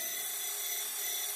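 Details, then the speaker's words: Small gear pump on an RC hydraulic Hidromek excavator, just started with some oil in the tank but not enough to feed it: thin, steady high-pitched whine with airy hiss, air bubbles drawn in; hydraulic pump cavitation. "you can probably see there's an air bubble coming in there right now you can see that so that's because there is oil in the tank but every now and then there isn't enough for the pump to suck and hence you're getting this phenomenon coming in"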